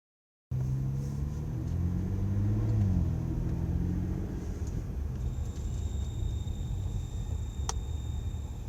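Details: 2011 BMW 335is in winter, about -1 degrees: a low droning moan rises and bends in pitch over the car's rumble only as braking begins, then fades; it stops when the heater is turned off.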